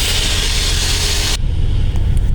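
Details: 2001 Chevrolet Silverado that previously would not crank or start, with no check light. After the faults were cleared it starts and runs with a loud, even rumble, no misses or knocks: normal idle.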